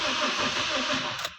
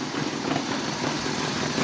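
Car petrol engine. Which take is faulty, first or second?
first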